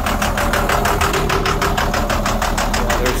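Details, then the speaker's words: International 4300 box truck (2002) DT466E diesel, towed in non-running, oil milky with coolant, jump-box started, about 25 psi oil pressure; rough idle missing about three beats per second with a deep bottom-end knock, heavy blow-by. Suspected damaged cylinder liner. "All right, it's got around 25 pounds of oil pressure. You can hear it's running with a miss."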